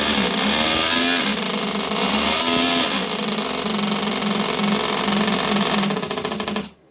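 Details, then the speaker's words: Toyan twin-cylinder four-stroke model engine (Tamiya high-lift build) started on the starter button, idling: loud, crackly exhaust with a nice tick-over sound, both thin pipes audible, firing evenly without stumbling; normal healthy idle. "It's got a nice sound on tick over. You can hear the 2 pipes."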